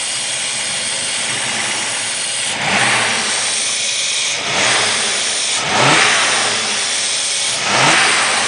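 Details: 1985 Mercedes-Benz 380SL at idle: a loud, steady hiss swelling every couple of seconds, a major vacuum leak at the rear driver's side of the fuel distributor, apparently from under the air metering manifold; cause unknown.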